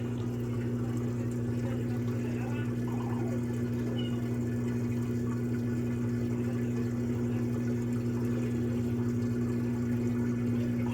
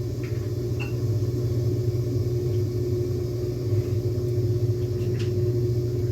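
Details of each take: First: LG Turbo Drum washer on spin cycle after draining: steady even motor hum with a little water sloshing, spinning smoothly without grinding or knocking. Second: LG Turbo Drum washer with its basket removed: a steady motor hum with a faint whine and occasional clacking, but the damaged transmission doesn't drive; neither shaft nor drum turns, so no spin.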